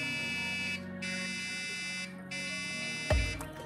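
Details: Dell Optiplex 380 at power-on with no display: repeated long buzzing beeps, the POST beep code for a RAM/memory fault.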